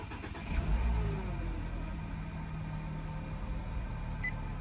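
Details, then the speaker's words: 2016 Nissan Qashqai 1.2 petrol, after misfire repair (code P0303) and clearing codes: cranks and catches quickly, settles to even steady idle, no warning light; normal start and idle. "at the moment I feeling car running smooth no any warning cord"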